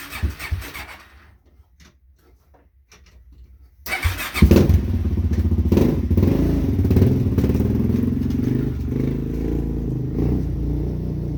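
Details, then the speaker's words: Suzuki LTZ400 quad, first start in over a year with a new carburetor, backfiring noted: catches, then rough uneven low thumping that surges and sags, cutting out under throttle; owner suspects carb jetting or main jet, too little air or too much fuel. "like i said when i go to give it power it just cuts out seems like it's not getting enough air or too much fuel either one"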